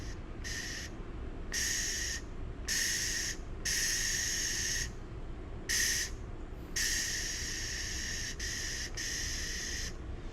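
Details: Second-hand MIG welder set up for .025 wire, whose gas regulator gauge was jumping, after adjusting the regulator with an Allen key: a clean, even hiss of shielding gas in short on-off bursts with no sputter or flutter; flow sounds right.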